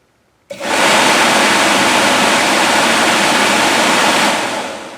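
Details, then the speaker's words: New Four Seasons replacement blower motor in a 1980 Jeep CJ-7 heater box: it spins up fast and holds a loud, steady rush of air with no rattle or scrape. Owner guesses it runs two to three times the original motor's speed. Healthy blower. "another thing you might want to do is you might want to check your wiring and make sure your wiring can handle this because i'm guessing that runs two to three times the speed that the original one does"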